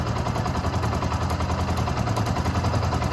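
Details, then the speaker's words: Yamaha R15 v2 started after years of disuse: rough, uneven idle with irregular popping pulses, roughly two to three a second; the spark plug is arcing out and misfiring and needs replacement. "and I think guys the spark is sparking out I don't know if you guys can hear that yeah right"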